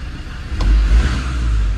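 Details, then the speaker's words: Land Rover Defender TD5 diesel at 193,500 miles, revved after an oil and filter change; climbs cleanly and settles back with no knocks or misfire, sounds healthy. "I wasn't worried everything had been lubed up to the first 10 seconds as long as I rev the nuts off it and really starve it for oil it should be fine"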